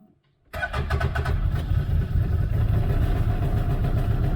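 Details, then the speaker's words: 2019-21 CFMOTO UFORCE 1000 started with the key while programming a remote starter's tach: quick crank and catch, then a settled, even low idle with no hunting or misses; healthy start. "Once the machine's running and it's gotten a good idle, press and hold the button, and we got a constant red LED up there."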